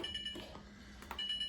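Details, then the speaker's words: Older Whirlpool Duet dryer after the main board relay replacement cleared the F01 code: two high steady beeps a second apart, F70 communication error persisting, then traced to the interface control board connections. "All right, guys, you can see I got rid of the F01 code, but"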